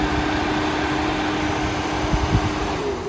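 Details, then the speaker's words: Mitsubishi Eclipse that has been overheating: steady whooshing rush and constant hum as the radiator cooling fans run when the fan relay is pushed in; fans work, though overheating persisted on the drive home. "And I swear that's like the first time I've ever heard those turn on, but it it's working perfectly fine now."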